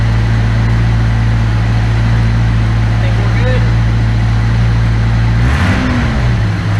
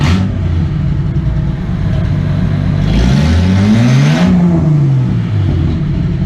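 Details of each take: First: Engine idling after replacing the fuel injectors with OEM-spec parts; it idled high briefly then settled to a steady, even low idle with no misses or ticks and no fuel leaks. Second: Rally car idling and blipped after the catalytic converter was cut off, now running headers into only a couple of feet of pipe; deep, loud, open rumble that swells sharply on the blip; very loud.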